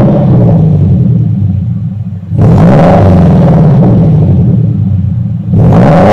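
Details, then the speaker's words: 2015 Subaru Impreza with Invidia R400 catback exhaust (replacing straight pipes): two clean rev blips over a deep, burbling boxer rumble, no rattles or leaks; healthy, nice deep tone. "it's a nice tone very deep signature she brew Rumble my favorite thing ever definitely very happy with that"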